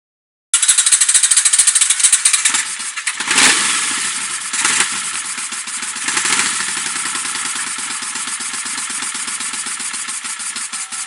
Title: Then back to it old tricks... Vacuum leak?